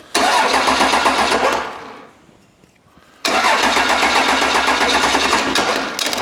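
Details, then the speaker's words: Old 12-valve Cummins diesel, stored almost a decade, first start attempt using starting spray: two long, lazy, uneven cranking bursts, no firing; starter poorly contacting and hot, suspected weak, flywheel to be checked. Slow cranking. "having a hard time contacting there maybe that starter Ain't So Good"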